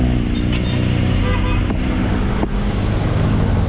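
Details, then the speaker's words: 2017 Toyota Wigo automatic, idling with accelerator blipped: steady low drone from the automatic transmission that the client reports is louder in the morning when cold and freshly started. "yan yung ingay na sinasabi ng client natin ngayon mga boss so pagkaumaga daw daw meron pang mas malakas diyan"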